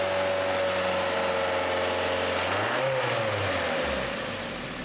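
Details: 2008 Mazda MX-5 four-cylinder after a timing chain replacement (it came in for chain noise): a smooth rev falls evenly back to idle with no chain rattle or slap; the engine runs normally.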